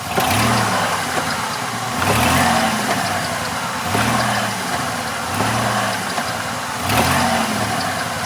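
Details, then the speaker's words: 1996 Dodge Grand Caravan in drive, recorded between engine and transmission: heavy clunk about every second and a half over the engine; owner suspects a broken differential pin, not confirmed. "Oh, yeah. Oh, my God. If that isn't a differential pin, I don't know what is."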